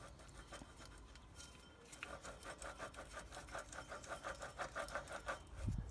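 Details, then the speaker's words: Peugeot 107 / Toyota Aygo / Citroen C1 (1KR-FE) water pump, noisy before its belt failed, spun by hand: gritty rasp repeating about three times a second with each turn, sounds awful; worn water pump bearing, pump replaced. "see there's the dreaded water pump and what we've got there he's playing it and also you can hear how right B is sounds awful"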